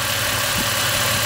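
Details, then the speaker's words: Toyota 5VZ-FE 3.4 L V6 with 280,000 miles, warm idle after a little warm-up, scanner reads about 715 rpm with AC off. Soft, even hiss-like idle with a steady low hum, no misses or knocks; perfectly settled, purring like a kitten: normal idle. "i have a scanner hook to it so the idle is like 7 15 with the ac off otherwise we will hear the cycling of the compressor and the rpm will be coming up and down but perfectly settled it's pouring like a kitten right"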